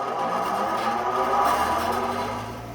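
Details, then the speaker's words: ILG Model 183 desk fan with new bearings but no preload spring, before the fix: steady hum with a ringing, buzzy whir from noisy unpreloaded bearings; adding a preload spring washer made it smoother and quieter. "all right 183 with new bearings but no preload"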